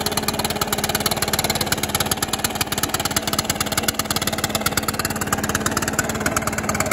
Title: Stihl BR600 idle and rev after cable and carburetor adjustment. Runs and idles much better/smoother